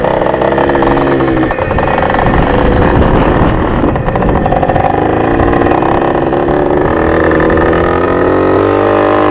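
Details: Rebuilt junkyard Yamaha PW80 two-stroke with new carb kit and Boyesen reeds, riding under load: labours and stumbles, pitch sagging, usable only in first and second gear; owner suspects fuel mixture or vacuum leak.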